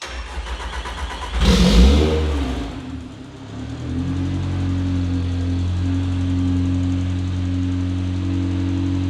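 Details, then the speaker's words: Toyota MR2 with 1.8T turbo swap and electric exhaust cutout (opens at full throttle or by switch): cranks and settles into steady deep even idle with cutout closed, muted, quieter than before; nothing abnormal. "So we've got still a loud car, but it's not as loud as it was."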